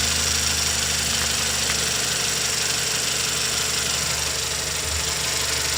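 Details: 2016 Toyota Camry 2.0 6AR-FSE, 22,000 km: even idle with a light, quick metallic tapping about three per second under a hissy top end; engine knock at idle, source unknown.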